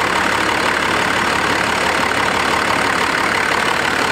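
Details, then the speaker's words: 12-valve Cummins diesel truck, non-intercooled, about 750,000 miles, just started: steady, even diesel clatter at idle, no misses, knocks, surging or odd shakes, sits dead still; smooth, healthy normal idle. "Just beautiful, purrs like a kitten. Like no like odd shakes in the engine, no like odd rocks or, I mean, it just sits dead still."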